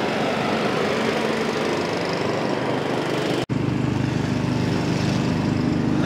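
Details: Honda-powered Billy Goat small engine, run in about 21–22°F cold after a choke adjustment and warm-up, holds a steady, even drone under load with no misses or surging; running healthy.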